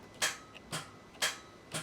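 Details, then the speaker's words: VZ Commodore (likely 2006) V6 no-start after owner replaced battery and starter relay: sharp single clicks about twice a second with no cranking. "He has stated that when he goes to start it, there's just a clicking noise. That is a bit of a clue."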